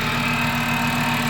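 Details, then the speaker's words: VW Mk6 Jetta 2.5L five-cylinder, fresh engine and 02Q six-speed swap, first start just after adding oil: thin steady high squeal over an even idle; belt or pulley squeaking, owner suspects the lip pulley, not confirmed. "There's definitely a belt or pulley squeaking in there some more."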